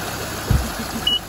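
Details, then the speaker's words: Infiniti M45 at idle with AC switched on to force the fan control module: steady, even rush of air as both cooling fans spin; fans running normally. "there you go both fans are spinning there you go"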